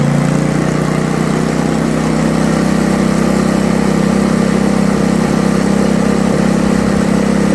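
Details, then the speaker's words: Toro 524 snowblower after tune-up with aftermarket carburetor, previously hard to start: starts first pull, smooth even beat running a touch fast at idle, no misses or surging; normal running. "So first pull, usually I had trouble starting it, now I don't. Throttle, now I can hold my neck."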